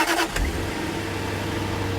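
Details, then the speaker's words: Daimler 4.0 V8, not run since 2016, after a fuel pump change: brief catch, then a quiet, even, whisper-quiet hum with no knocking or ticking; the engine runs smoothly and sounds healthy. "it runs and it sounds great it's not low on cooling at all"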